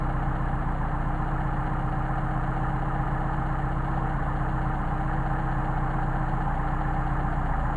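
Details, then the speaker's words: Mercedes 190SL Solex carburetors tested running independently: idle mixture screw turned to the extreme gives a low uneven idle with wavering beat and sagging rpm, before finding the best midpoint. "to drop off again after go to the extreme and here how badly starts to run"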